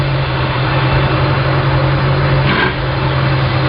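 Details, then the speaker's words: I/O (sterndrive) boat motor at spring start, warming up at idle toward 155–165°F; shifted into reverse, steady low idle with a brief clunk as gears engage cleanly, positive engagement. "Put the motor in reverse. You listen for the sound of the gears engaging. We know we had a positive engagement."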